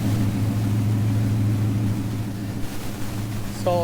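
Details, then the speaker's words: 1977 Chevy Nova Concours V8 idling after replacing the leaking carburetor-to-intake gasket, which was smashed and sucking air, plus new plugs, wires, distributor cap and rotor, and carburetor adjustment: steady, even low rumble, no stumble or hunting. Normal idle. "I adjusted the carburetor as much as I could, and I think it's running better now. Now I'm gonna go ahead and get it started for you so you guys can see how it works. Sounds really nice. It's not that bad."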